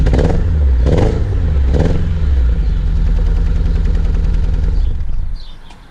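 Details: Renault Clio 182 with flashing engine management light, heard from the back: uneven lumpy idle with irregular stumbles and surges; misfiring and running rough, owner suspects fuel injectors, not confirmed.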